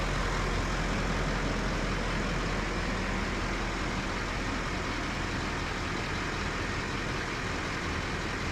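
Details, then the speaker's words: Duramax LML diesel with newly built engine (forged crank, Molly pistons, aftermarket harmonic balancer), first start after installation, idling: steady, smooth low drone with no knocks or ticks, no leaks seen; sounds healthy. "seems okay I don't see any leaks or anything"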